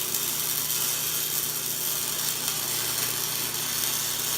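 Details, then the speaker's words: 110 V Century welder running a bead, compared with a 110 V Harbor Freight welder whose bead was too cold: a steady, crisp frying hiss with an even constant crackle and a different pulsing, no popping or sputtering, burning in well. Normal weld arc. "Let's burn this kid. You can hear the pulsing is way different."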